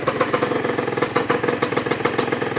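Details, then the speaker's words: Honda NSR150 RR-W two-stroke freshly rebuilt (new bearings, relined cylinder, corroded head), not revved high, slightly warm with coolant circulating well, no bubbles: crisp even idle with a light steady rattle, no balancer whine; normal idle. "เสียงเครื่องก็ประมาณนี้บาลานซ์เซอร์อะไรต่างๆไม่มีหอน"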